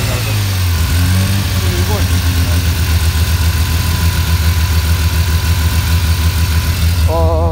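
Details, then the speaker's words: Mazda RX-7 FD, new ported rotary on its first start while warming up: it now holds a steady, even idle but runs rich at 10 AFR until the water passes 80°C, with low oil pressure of 0.5 bar at idle and steering pump fluid topped up. "does it hold idle now? Sifis: yes but its 10AFR (the lowest the gauge shows)"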